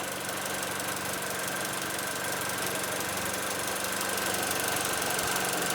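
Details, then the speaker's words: 2008 Mini Cooper Clubman bought from Copart as runs-and-drives, cause unknown: warm idle with an uneven shake, about four pulses a second thudding through the hum, no check engine light; rough idle, owner worries about timing chain, plans plugs and compression test. "Got a vibration. So, it's definitely not running its best."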